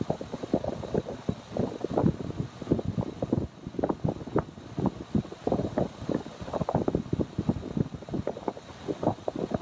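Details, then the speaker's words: 2003 Ford F-250 SuperDuty 4x4, 6.8L V8, code P0301: idle stumbles with an irregular beat and occasional dropped pulses from a cylinder 1 misfire; tester shows intermittent coil arc, suspected coil, injector or other cylinder 1 part not yet ruled out. "En estos momentos está trabajando bien, pero intermitentemente se corta. Vamos a esperar que presente el fallo para corroborar que es la bobina y no el inyector o cualquier otro componente relacionado al cilindro número 1."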